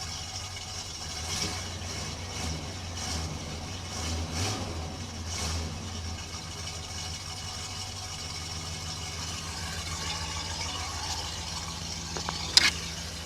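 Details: Cold start of a farm pickup's 350 V8 with Turbo 400 transmission, possibly low on coolant: steady deep rumble with an even low beat, no knocks or squeals; healthy idle.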